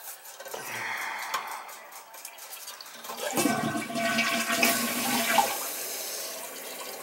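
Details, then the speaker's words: Toilet after new wax ring and adjusted fill valve: water rushes in, refills, tapers to a quiet trickle, no knock at shutoff; bolts dry, leak fixed, fault was fill valve/supply not wax. "[Music] that's better no more banging you have the bolts are dry so it's not leaking anymore"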